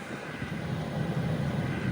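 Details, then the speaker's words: VEVOR diesel air heater during its startup warm-up, set to level 6: a steady low whooshing drone with a faint rumble, gradually growing louder as it begins burning fuel. Warm exhaust and air confirm it is lit and running normally. "You can definitely hear the unit is progressively getting a little louder and starting to work. So it does have a startup feature that starts kind of quiet and kind of warms everything up, and it slowly starts burning fuel."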